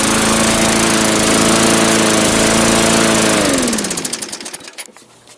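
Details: 2004 Murray (Gold Star) mower, engine built 2003, cold-start test run: small engine runs loud and even at a steady pitch, then winds down smoothly to a stop with no knocks or misses. Normal running.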